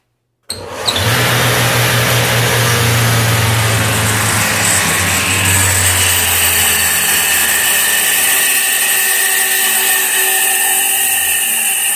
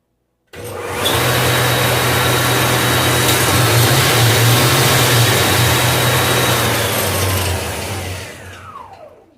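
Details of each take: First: Iveco alternator with an overrunning clutch pulley, tested on the bench, which the customer says isn't charging: a high whirring whine with low hum spins up, then coasts down as the rotor keeps spinning after the pulley stops; faulty freewheel pulley. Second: Iveco alternator on the bench after its faulty freewheel pulley was replaced, with the belt refitted: spins up to a smooth, steady whirr with a clean tone, then winds down evenly; normal alternator operation.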